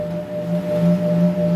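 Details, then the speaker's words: Ingco bench grinder that hums loudly and won't spin when switched on. Steady low mains hum with a faint higher tone and no run-up to speed; the owner suspects the run capacitor from experience. "so I'm gonna plug it in and hit the switch and all I can hear is this humming song I'm trying to give it a start"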